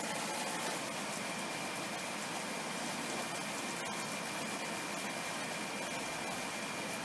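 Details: Haier air conditioner with cover open, test-run while moving the styrofoam inner housing away from the fan: smooth, even air whoosh with steady motor hum, no rubbing or scraping.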